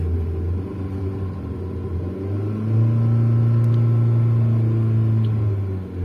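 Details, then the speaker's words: Hyundai Santro Xing, 52,205 km, petrol: engine idles with a low, slightly uneven rumble, misfiring with poor pickup and low mileage; misfire persists after another mechanic replaced two ignition coils/leads and four spark plugs. "ये guys इस car में missing."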